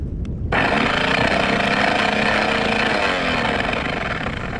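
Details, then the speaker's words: Boat's electric anchor windlass running up with harsh, heavy grinding, labouring with no load; solenoids get about 12.4 V, so fault appears to be at the motor; windlass needed full teardown and servicing. "so you'll hear there's much more grinding it feels like it's just struggling to go up even though there's no load on it at all so that's what we're trying to figure out"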